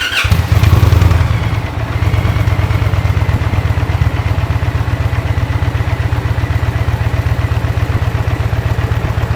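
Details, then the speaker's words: 2023 Indian Pursuit Elite motorcycle before Tab Performance exhaust fitted: short start-up rev, then a soft, even low thump at idle with a little throttle, no knocks or misses; healthy. "I'm gonna let it idle for a while so you can hear how the sewing machine sounds at idle with a little throttle"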